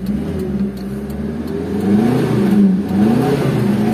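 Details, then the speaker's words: 2001 Espass, started in drizzle: starts immediately, revs rise and fall smoothly with no knocks or misfires; engine sounds smooth and healthy. "H starterannya langsung jadi enggak kekekek langsung suaranya halus"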